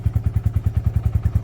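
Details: Honley HD2 125 motorcycle after a carb clean and a new wiring loom and switches: even, steady thump at about ten beats a second with no misses or stumbles; the engine idles cleanly and runs properly.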